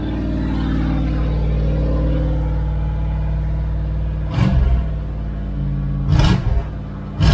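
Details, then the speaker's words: 1978 Dodge Aspen R/T 360 four-barrel V8 during restoration, at start-up: deep loud rumble with sharp revving bursts, no muffling; straight exhaust cut off at the manifold makes it loud. "anyway it's just straight exhaust uh it's cut off at the manifold that's why it's loud"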